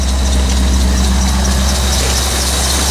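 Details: 1985 C4 Corvette idling while warming up on a 14-degree morning after the negative battery cable connection was fixed. Deep, steady low rumble with an even beat and no knocks or misses; normal idle.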